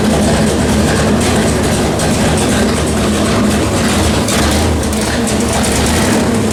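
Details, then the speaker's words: 1973 Dodge Charger 451 stroker big-block Mopar (1976 400 block), new Edelbrock Performer RPM aluminum heads, Sniper EFI, on dyno after repairs: steady, even deep rumble at fast warm-up idle, heading to 160° for EFI learning mode; no knocks or misses, healthy. "Anyway, it's fired up, obviously, as you can hear it. Life is good. We are getting up to temperature so it can get into its learning mode."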